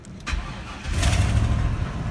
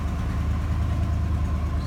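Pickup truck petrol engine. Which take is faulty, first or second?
first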